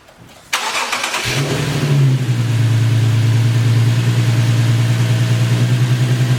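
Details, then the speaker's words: Infiniti Q60S AWD after a Takeda Stage 2 cold air intake install; engine catches, idles smoothly, then rises cleanly on quick revs with no misses or knocks; sounds healthy. "Let it idle for a minute. Feel it? Yeah. Rev it a little bit. Do a quick rev. Like. Do it again. That bitch sounds good."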